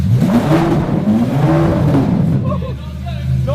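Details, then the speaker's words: Wrecked Lamborghini SVJ being rebuilt, V12 running with the exhaust removed and no lambda sensors connected: very loud, raw flare that is held back at low revs. Engine management rev limit caused by the missing oxygen sensors. "So it won't let us rev it because of the no Lambda sensor issues. That was loud."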